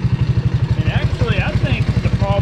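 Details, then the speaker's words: 1985 Honda ATC 200S, 165 original miles, reassembled after top end and piston checked good: single-cylinder idle with a steady tapping rattle, about eight beats a second; owner suspects the clutch side, cause unconfirmed. "let's go and crank this thing up and see what it does and as you can hear still makes noise"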